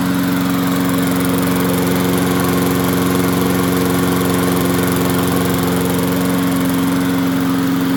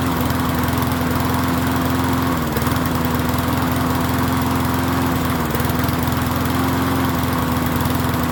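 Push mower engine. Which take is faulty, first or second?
second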